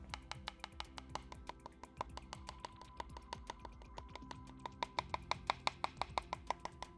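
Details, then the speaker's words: Tap test on a split, cracked old carbon bike frame with the microphone close: quick taps ring clearly on sound carbon but give a duller tone right over the crack. "so you can hear the difference it makes on when you actually hit the crack you do have to be quite precise with it"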